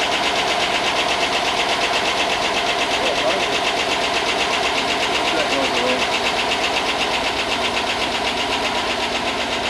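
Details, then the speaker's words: 5.3 LS Chevy Tahoe engine, first start after long non-running and fixed grounds, good oil: fast light ticking about four a second over steady idle; owner suspects lifters not yet pumped up. "Well, it hasn't run in a long time, so hopefully the lifters pump up and that noise goes away. Because it's got good oil."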